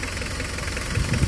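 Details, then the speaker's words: Mitsubishi Delica Star Wagon diesel at idle: low, even clatter with no shaking or rattles, unlike some Delicas that shake at idle; calm and healthy. "And the diesel kind of shakes the vehicle, but not this one. This one holds nice and calm, collected."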